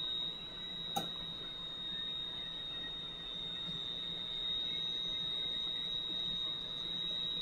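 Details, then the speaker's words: Valve grinder refacing a valve face with lubricant flowing, stone run back and forth: steady, high, unwavering squeal of stone on the valve face with an even hiss beneath; a clean, normal grind. "i'm gonna run this guy back and forth like so it's going to grind the back of that valve off it's pretty straight forward"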